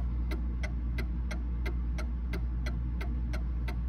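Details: Mantle clock put back in beat after being thrown out of beat, with an equal verge impulse on both sides; crisp, evenly spaced ticks about three a second over a low steady hum.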